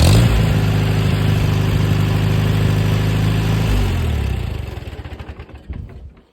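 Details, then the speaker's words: Farmall 230 tractor, first start in many years after points, 6V-to-12V conversion, firing order and ballast resistor work, choke pulled: engine holds a fast, even beat then cuts and coasts to a stop. Idles too high, won't idle down; owner suspects slop in the carburetor throttle shaft, carburetor not yet touched. "I ain't touched the CRA yet it ain't iding down like it's supposed to if I mess with the throttle shaft over here I can get it to PE like a kitten"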